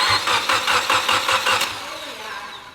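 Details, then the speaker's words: Mitsubishi Evo X, first start after build, serpentine belt off, crank sensor unplugged so it cranks without firing; even starter-driven cranking, about two and a half compression pulses a second, steady and balanced: compression sounds healthy. "now we're going to crank it again I just want to listen to it make sure everything sounds healthy then I'll plug in the crank sensor and fire"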